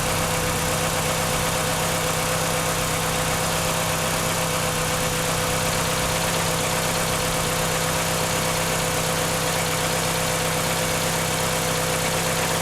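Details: 1996 Chevrolet Cavalier 2.2 four-cylinder, just after water pump replacement, first start before warm-up: steady, even idle with smooth low hum, no knocks, ticks or squeals; running healthy.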